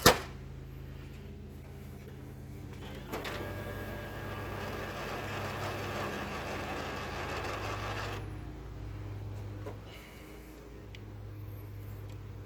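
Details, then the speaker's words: M602 printer with a known-good cartridge, in the machine without problems; steady motor hum, then several seconds of even whirring and feeding as the page runs through, no weird noise while warming up; normal printer operation. "Everything sounds good, everything prints good on this one."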